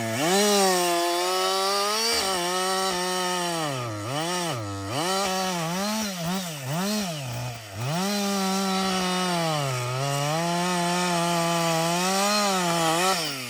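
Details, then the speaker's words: Husqvarna 562XP chainsaw, software reflashed after dying when hot and stumbling; about an hour into running. A strong wail bogs into each cut and clears cleanly between cuts without stumbling. It runs normally under load. "so far it's running great um I've got"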